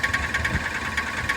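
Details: Car idling in Drive, engine mounts recently replaced: sharp metallic ticks several times a second over steady idle; engine knock whose source isn't yet known.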